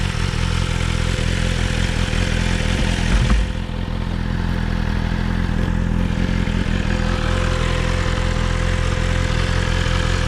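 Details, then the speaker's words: BMW S1000RR on a test ride: steady, even buzzy drone appearing around 25–30 mph on or off throttle and holding; unexplained buzzing noise at low speed, cause unknown. "so as you can see right there um at 25 mes hour it did that buzzing noise and it just stayed there"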